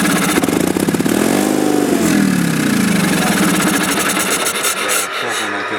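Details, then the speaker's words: Sears Craftsman FF/20 engine, not run since 2009, fresh fuel, spark restored after bad condenser replaced: cranks and catches in ragged uneven bursts, sounds low, stumbles and won't keep running; carburetor then opened and float assembly checked. "Sounds like it's low. Sounds like it's in low or something."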